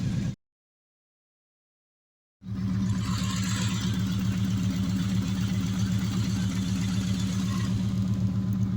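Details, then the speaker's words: 2014 Kawasaki Mule Vaquero UTV just started after replacing the front four lifters: steady low idle thrum with zero lifter tick. "about ready to take first good ride after doing the lifters you can hear zero lifter thick i just started it"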